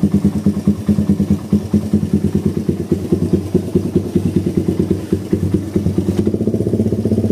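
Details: Suzuki Satria FU with a stock vacuum carburettor and an oversized exhaust: a thin ticking, lumpy idle at about two beats per second, then hesitant, empty pickup on gentle or sudden throttle; the exhaust is too big for the carb.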